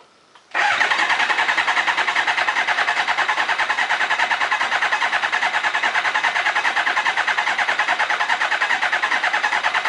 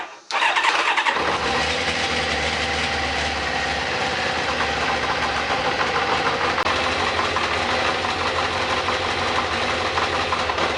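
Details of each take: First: Kawasaki ZZR 600 replacement engine from a parts bike, rebuilt, cranked with ignition coils disconnected to build oil pressure; steady, even starter cranking at a quick regular beat, no firing, no grinding or slipping. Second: Kawasaki ZZR 600 replacement engine from a parts bike, starting: catches quickly after brief crank, then clank and rattling clatter over idle from the starter clutch, which clatters badly whenever starting struggles; needs fixing.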